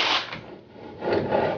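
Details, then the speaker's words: 1988 Toyota Supra MKIII 1JZ drift car after a steering knuckle mod, ground bump stops and steering damper removal; a dull scraping rub at full lock as the tyre still grinds on the sway bar. "you can hear it's still grinding on the sway bar so there's still more potential to get angle out of this"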